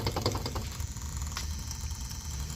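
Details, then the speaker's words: Heil A/C outdoor unit during a tune-up: a few clicks, then a loud steady low hum like scraping a coil, coming from the contactor even after cleaning. The failing contactor coil is buzzing, and the customer chose to have the contactor replaced. "Sounds like somebody scraping a coil. That is the sound of this contactor humming. Wow, that's something I gotta bring up to the customer's attention."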